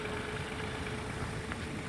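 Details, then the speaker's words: Tired old four-cylinder engine, 203,585 miles, long run with failed head gasket, cold start: even, steady idle with no stumble after a brief clanky misfire cleared; firing on all four now. "So, you can hear it. It's running fine on all four right now."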